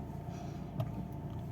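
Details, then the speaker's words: Fiat Uno Vivace after topping up low power steering fluid: only low steady engine rumble, no whine or groan from pump, steering softer; power steering sounds normal. "Olha a direção como ficou bem mais macia eu já tirei o carro aqui da garagem e já voltei e aquela zuada horrível ela parou Olha só não tem mais zoada"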